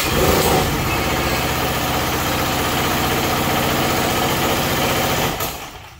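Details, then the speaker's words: Predator 4375 W generator that starts but barely runs and makes no electricity, started on choke: engine catches then labours unevenly, lurching about three times a second before dying; engine bogging. "So yeah, there's obviously something wrong with it. It sounds like the engine is struggling really hard."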